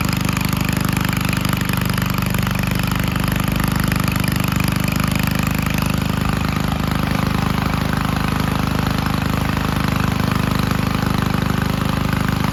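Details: 1951 Gravely Model L garden tractor running on a backup magneto after the original's weak spark, with the carburetor cleaned and a new old stock tank fitted: loud, steady single-cylinder thump at a fast, even beat with no stumbles; normal running.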